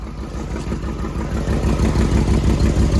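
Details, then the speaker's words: 1994 Corvette (manual) at idle after restoration: steady idle with a regular knock about three beats a second, absent before and with exhaust off; noise stops with clutch pedal in, returns when released, suspected clutch/transmission, unconfirmed. "Every time Henry has the clutch in right now, it's quiet. But when he lets it off, the noise comes back."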